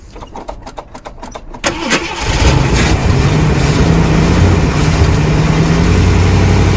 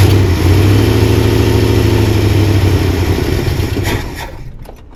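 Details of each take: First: 1979 Jeep Cherokee, AMC 360 V8, sat 3-4 years; starter cranks about two seconds, catches into a deep steady rumble; normal start, smooth running. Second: 1979 Jeep Cherokee, AMC 360 V8, sat 3-4 years unstarted; catches, runs rough a few seconds, winds down and dies; stalling, fed from a plastic gas jug (tank holed) that is nearly empty with bad-looking gas.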